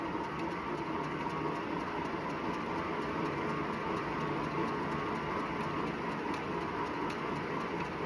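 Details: Wahoo Bike Shift smart bike at 379 km: steady whirring drive with a faint rubbing swish on every full pedal stroke, about 80 per minute; belt or flywheel rubbing suspected, unit returned under warranty.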